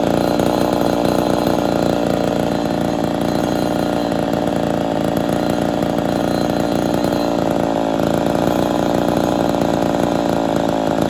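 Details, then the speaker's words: Ported Poulan 245A chainsaw with bow bar on first start, not yet tuned or at full temperature: steady high buzz with thin, slightly strained starving tone; running a little lean. "still need to do some tuning but uh she's a little lean you hear it starving just a touch that's all right though"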